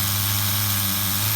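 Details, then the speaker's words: HPI RS4 Nitro RC F150 on 16% nitro fuel after a retune. High, buzzy idle holds dead steady, no hunting, where it had been lifting before. Normal idle, though the engine is getting hot, so the top end will be richened. "But listen to how good it sounds. This thing sounds better than it did the first time I bench tuned it."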